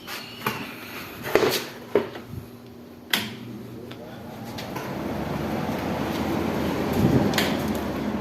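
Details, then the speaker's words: Window AC fan motor after repair of fan motor sound problem: a few clunks at switch-on, then smooth, even whoosh with no rattle or hum; normal fan motor running. "Friends अब को देखें कोई आवाज नहीं आ रही इसकी अ कि इस तरह इसका कंप्यूटर चलता है को देखें मोटर की कोई आवाज नहीं आ रही है"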